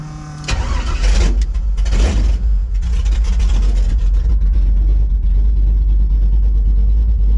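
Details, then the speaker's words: Red Chevy S10 V8: hesitation traced to MSD box ignition timing; after retuning, not yet perfect, it fires right up, takes a couple of throttle blips and settles into a smooth, even idle with no hesitation. "I mean it's running good right now if I'm going to leave it alone I'm gonna leave it at that"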